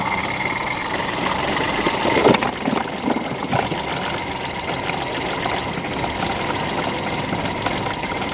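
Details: Perodua Kancil 850 three-cylinder, hard to start on cold mornings; with the faulty auto-choke flap held closed by hand, it catches, stumbles briefly, then holds a steady, even cold idle with no knocking.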